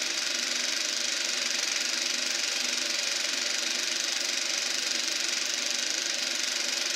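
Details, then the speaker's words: Eberspacher B1 gas heater for a VW Beetle, second test-fire attempt: even steady hiss with fast fan whir and fine regular flutter as the flame lights and burns steadily. "And we have ignition. I don't know if you can hear that, but you can hear that the flame inside there. Now we're cooking with gas."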